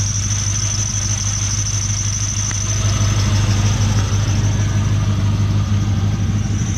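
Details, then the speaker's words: LS1 V8-swapped Nissan Patrol idling smoothly and quietly after exhaust leak fix, with a thin, steady high-pitched squeal from a worn idler pulley bearing, not the belt. "don't know if the camera will tell but it is so quiet now it is so quiet all you can hear is a squeal [Music] the noise actually comes out of here now how good is that yeah you can just hear the squeal of the"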